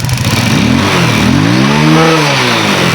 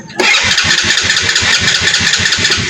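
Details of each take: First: Rusi motorcycle after its rusted spark plug cap and high-tension wire were cut back and redone: it starts after one backfire, then runs and revs cleanly, pitch rising and falling through several blips. Finding: engine running and revving normally. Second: Motorcycle, possibly a 110, that won't keep running and backfires loudly on start: after catching it sputters and pops unevenly about eight times a second; a rusted spark plug lead and cap are breaking up the spark.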